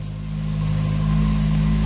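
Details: 2006 VW Polo 9N petrol engine idling quite high with a low, uneven, rough hum from a vacuum leak via a damaged vacuum hose, which also makes the brake pedal very stiff.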